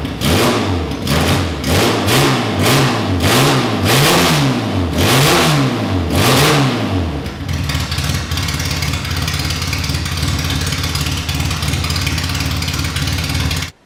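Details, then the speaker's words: Classic Mini race engine with big carb, first start, no exhaust or breathers, cold: sharp clean rev blips for seven seconds, then a steady even idle; healthy, snappy, free-revving. "Right, so that was awesome to hear the engine running. It sounds really snappy when you rev it up. It's really free revving and sounds like a race engine should. I was quite surprised at how well it just idled even from cold."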